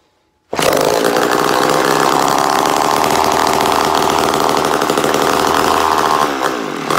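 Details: Mini Mac 130 two-stroke chainsaw, first start after purchase, nearly complete and in good condition: starts at once, holds high even buzzing drone with no sputter or surging; runs healthy.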